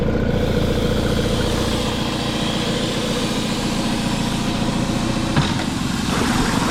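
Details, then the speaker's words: Honda outboard, cleaned and degreased, revved in a bigger bucket to test fully under load, peeing good water; steady busy drone, no misfire or rattle; normal running under load. "Just going to put it on a bigger bucket just so I can kind of really rev it and test it fully under load. So, let's see how she runs."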